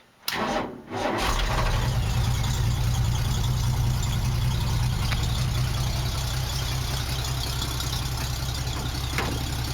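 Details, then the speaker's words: 1965 Mustang, choke now working, already run: quick crank, catches immediately and settles into a steady, even, lopey idle with no knocks or misses; normal start and idle. "Now that I got the choke working, it starts a lot better. I've already had it running, so it's going to start right up."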